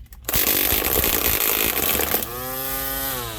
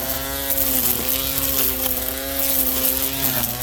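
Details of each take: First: Ryobi P2006A 18V One+ brushed grass trimmer with cutting string left too long: loud harsh buzzing whir with slapping at full speed, then falling whine coasting down. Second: Ryobi P2006A 18V One+ brushed trimmer after string trimmed to proper length: steady high electric whir with line hum, dipping briefly under cutting load, normal running.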